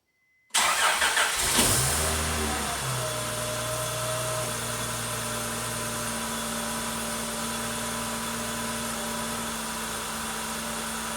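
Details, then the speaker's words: 2003 Acura CL Type-S with an intermittent crank-no-start, worse in hot months. After being left to cool, the fuel pump primes, a short crank follows, and the engine catches and settles into a steady idle; cause of the no-start still uncertain. "There's the fuel pump prime. And we were able to get the car started."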